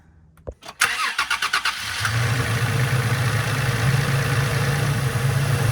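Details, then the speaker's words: Third-generation Toyota Tacoma after an oil change: starter cranks, engine catches and settles into a steady, even idle; the earlier ticking is gone once oil filled the engine. "The ticking went away. That means that all the oil got finished getting into all of the little grooves that we wanted to get into. So this sounds great."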